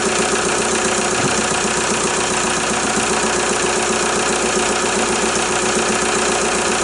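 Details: VW Jetta A3 TDI diesel after a glow plug harness replacement: a steady, even idle with light regular clatter and no stumbling or misses. It needed some cranking before it fired; it now runs normally.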